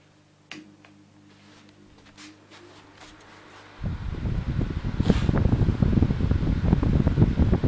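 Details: 2004 stand fan, model SSF, on high speed with green-blue blades; only fault found was a dirty plug, and it starts strongly. A soft motor hum, then a strong, even rush of air with no grinding, scraping or rattling. Normal running.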